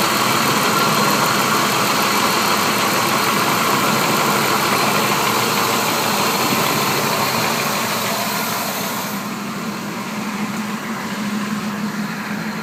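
A fast, even tick of about four per second rides over a steady idle, suggesting a valvetrain or lower-engine tick of unknown cause.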